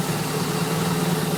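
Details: MerCruiser 3.7 marine engine, steady low idle: fast light ticking from idle up to 1000 rpm, then it goes away; starts and runs fine, tick of unknown origin, not a deep knock.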